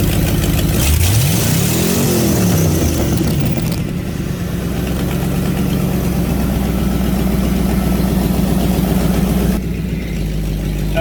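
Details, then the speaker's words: Fox body Ford Mustang V8 with eBay twin turbo kit, after new injectors installed: revs blip and settle into steady even lope, no skipped beats; misfired badly at first start, now on all 8. Normal idle and revving. "When I first cranked it up, which, sorry I didn't film, it was misfiring very bad, I guess. Just dirty. I've revved it up a few times, and it seems to be running on all 8 right now."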